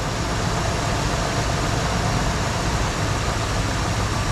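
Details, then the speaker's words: 1974 Ford Bronco after carburetor kit, plugs, wires and fuel system repairs and fresh oil, first start in over 16 years, having sat 30 minutes: deep, even idle, steady low rumble, no knocks or ticks, oil pressure up immediately; normal idle. "Sounds like we immediately picked up oil pressure."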